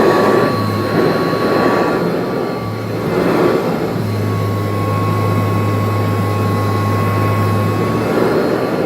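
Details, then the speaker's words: Kirby Heritage vacuum after replacing cracked rotor/fan impeller: steady motor whine, constant pitch, smooth low hum, no rattles or scraping; normal running, burning-belt drag gone. "oh that sound it feels a lot better alright job well done just saved like 300 bucks"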